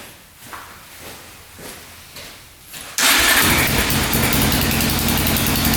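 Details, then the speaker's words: 2004 Yamaha Raptor 660 single-cylinder quad, long unused, oil now full: quiet cranking, catches at three seconds into a choppy run that breaks up as if hitting a rev limiter, not revving out; owner suspects a safety switch. "It's definitely not revving out. It definitely sounds like it's hitting a rev limiter."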